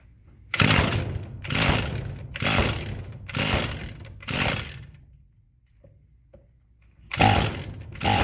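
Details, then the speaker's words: Roadside-trash Echo SRM-210 string trimmer of unknown storage time, deteriorated purge (primer) bulb: bursts of pull-starting that catch briefly then die; hard starting blamed on the failed primer bulb. "Okay, that sounded promising. Try to put a little more fuel in there and see if it'll run."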